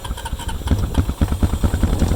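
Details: 2005 Honda Rancher 350 after no-start with starter clicking, fixed by cleaning corroded starter relay switch terminals and using starting fluid: single cylinder firing in quick, slightly uneven low thumps, no misses; running normally.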